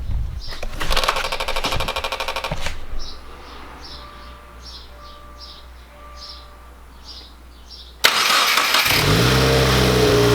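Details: 2018 Subaru WRX after spark plug replacement with NGK ILKAR8H6 plugs and battery reconnection: starter cranks, chimes sound, then the flat-four catches cleanly and settles into a smooth, even idle with no stumble.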